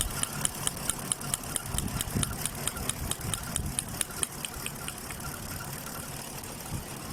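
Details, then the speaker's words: Chevrolet Caprice V8 at idle: uneven, lumpy beat with irregular stumbles under steady ticking; no spark from bank 1 coil, fuses good, multiple misfire caused by a cut ground wire at the back of the engine, fixed by soldering. "the fuse is good so I I found here a problem there's a ground cut at the back of the engine"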